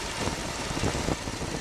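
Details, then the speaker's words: 1978 Chevy G-body T-top with a 305 V8, suspected valve issue, one intake pushrod spinning much faster than others, running on seven cylinders: uneven, lumpy idle with an irregular low thump breaking the rhythm; misfire at idle. "I know they're supposed to spin but this one to be spinning much faster than the other on but vals are going up and down and it's still running on seven cylinders"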